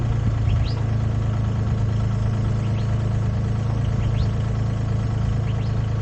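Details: Used Komatsu PC10-3 mini excavator, SN 6097, hood down, at low idle: low, even diesel rumble with a steady pulse, no knocking or hunting; healthy.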